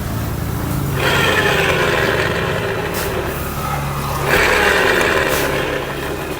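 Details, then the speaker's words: Honda Beat ESP K44 scooter, engine running and rear wheel turned by hand, before disassembly: rough humming whine rising and falling; gearbox noise, likely worn gear teeth. "Nah, terasa banget itu suara khas dari gearbox. Besar kemungkinan ada beberapa gigi dari gearbox ini yang mengalami keausan."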